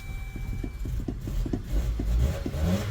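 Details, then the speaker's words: Journey (as transcribed), towed in as a no-start: ragged, uneven firing as it finally catches after a long crank and stumbles up in revs; a fuel pump is suspected but unconfirmed until fuel pressure is checked. "this is a journey I want to say uh tow in no start long crank time they think is a fuel pump"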